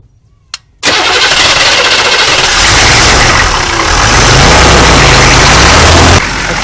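Long spell of loud cranking before the engine barely picks up and runs; hard starting, possibly from air drawn into the fuel line.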